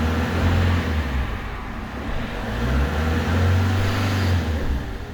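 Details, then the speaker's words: Peugeot 307 2.0 HDi diesel showing fault codes P1112 and P0204, stalls while driving; lightly revved, it struggles to hold 2000 rpm, speed wavering up and down; crank (TDC) sensor and fuel filter were later replaced. "déjà il a du mal à rester sur de mal à rester sur 2000 tour"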